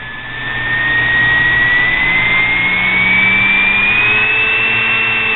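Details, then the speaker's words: Homemade mini grinder built from a sewing machine motor, shaft with a hand-ground flat and uncured JB weld: high-pitched squeal climbs as it winds to top speed, squealing even after oiling and wobbling somewhat. "get way up there it kind of squeals so I oiled it then it does kind of go off wobble"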